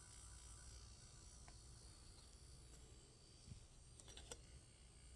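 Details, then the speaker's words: Slow motor after cleaning, lubricating and oiling its bearings, which were noisy before: soft, even low hum with no scraping or rattle; runs smooth and quiet as it should. "nothing's wrong with that motor the motor sound like it's both the same so you guys pair pern that's how lazy motor is supposed to sound now"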